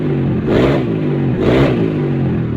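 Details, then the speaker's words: Honda Supra X 125 after oil-to-head lubrication repair and cam chain/timing reassembly: two quick throttle blips rise and fall cleanly, then steady even idle with no rattle or misfire; sounds strong but smooth, healthy. "Suaranya gahar sekali teman-teman. Tapi bobokannya adem kok. Tidak yang ngejoak-ngejoak, Guys."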